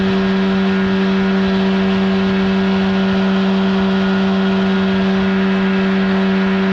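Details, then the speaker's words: 1979 Evinrude 35hp outboard (also called the old Johnson 35) on the water after adjustments; it earlier would not reach wide open throttle. Insulation recently added. Now a steady, strong buzzing drone at an even pitch, no stumbles; runs cleanly at speed. "oh she's running just fine now"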